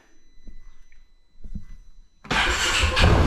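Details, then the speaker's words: 2016 Polaris Ranger 570 after fitting new spark plug, oil slightly low: a few clicks, engine catches right away and settles into steady even run; normal start, no-start fixed. "we can check and see here if this is gonna start with the new spark plug and i think that was our main issue for the no start"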